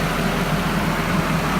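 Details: Nissan KA24DE engine with a starter-click no-start fixed by replacing the ignition switch: smooth, even idle with steady low hum, no ticking or stumbling; running healthy.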